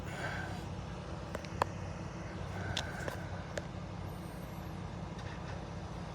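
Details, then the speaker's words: 2005 Dodge Ram 1500 5.7 L Magnum V8 after wiring repair and spark plug replacement, previously running badly: low steady idle, no misses, knocks or surging, few faint clicks; heard at exhaust too. Normal idle. "So, sounds really nice to me. And back to the back of the exhaust. You actually hear it for yourself. Looks perfect."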